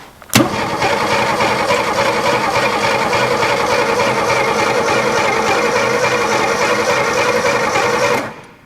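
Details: Abandoned 1961 Ford Falcon, first start attempt with fuel in, spark present, choke closed and accelerator pump squirting: steady cranking chug about 3.5 beats a second for eight seconds, never catches; no start.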